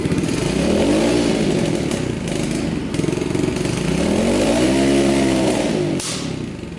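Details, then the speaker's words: 2003 Kawasaki KLX110 single-cylinder after rebuild; two clean throttle blips, quick even pickup, much more power; normal running, though owner thinks something is still left in the carburetor. "Alright, we'll ride around the shop. It's got a lot more power already."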